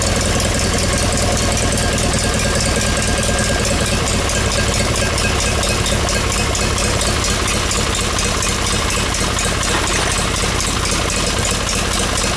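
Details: John Deere 318 twin engine just reinstalled with reworked intake manifold (previously surging), new plugs, wires and oil, shrouds off: steady, even twin-cylinder putter, no surging or hunting; running good, normal smooth idle.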